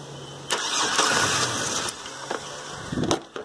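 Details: Chevrolet Silverado/GMC Sierra type truck with good battery that won't crank on key, starter triggered via wire jumper at underhood fuse/relay box: short uneven cranking bursts with rough catch and stumble; starter spins engine once relay bypassed.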